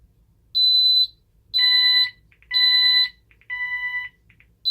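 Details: Ademco 6128 alarm keypad under test, expansion modules not installed so check troubles showing; fire zone initiating device triggered: loud high electronic beeps pulsing about once a second in a steady on-off pattern, the fire zone alarm.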